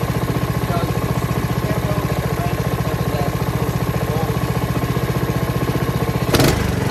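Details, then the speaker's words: Honda HRX217HYA mower, under a year old and under 5 hours, after replacing the failed auto choke part: starts on one pull and putters evenly with no misses or hunting; normal start and idle. "So starting was an issue with me. Now it starts one pull."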